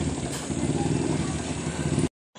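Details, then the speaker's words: White Westinghouse washing machine spin dryer after repair, with the part tightened using a washer and lock washer. It runs with a steady, even whir and low hum, and its earlier noise is gone. "So yun, nawala na yung ingay niya."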